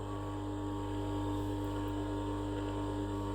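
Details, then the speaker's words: 70 rpm geared electric motor for a homemade stone tumbler, unloaded, lukewarm: steady hum with faint slightly uneven flutter; small vibration of unknown origin, owner suspects motor gearbox. "So, hear that little vibration? I don't know what that is. It could be from the motor gearbox."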